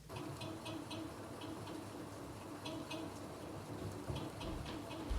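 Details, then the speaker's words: Light, fairly regular creaking at low belt speed, around 1–2 mph, on a Peloton Tread treadmill; owner believes the motor's rotor is rubbing on the stator. Cause suspected, not confirmed. "the other noise that he might hear is more of like a creaking noise and it tends to happen at lower speeds especially like around 1 or 2 miles per hour it sounds like this"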